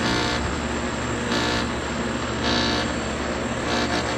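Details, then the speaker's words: Home air conditioner outdoor unit running: an uneven light rattle coming and going over the steady fan and compressor hum; owner suspects the electrical board, source not pinned down. "think the electrical board may be bad or i don't know it's running but rattles just a little bit"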